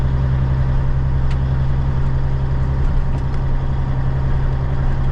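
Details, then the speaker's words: Cabover diesel truck driving at night with new alternator belts: steady low drone with an even beat under cab noise and no squeal or chirp, the belts sounding healthy, though the driver says they squealed a little when revved while sitting. "Yeah, it don't take spilling at all. That's what I'm talking about. Maybe they might be a little bit, but"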